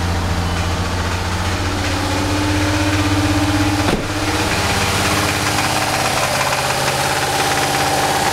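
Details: VR6 engine idling with an uneven deep knock under the engine note and one sharp clunk midway; rod knock suspected but unconfirmed.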